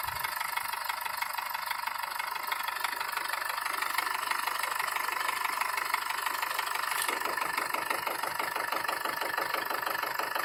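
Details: BMW M47TU diesel at idle: sharp even tapping about twice a second over the diesel clatter; engine knock, cause not pinned down.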